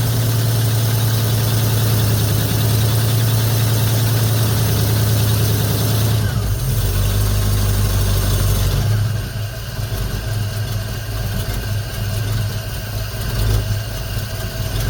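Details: 1950 Ford F1 with Flathead V8 8BA after replacing the leaking exhaust manifold gasket and the missing header bolts, about 45°F outside: deep, even idle rumble, no ticking or puffing, settling quieter after a few seconds; sealed and healthy.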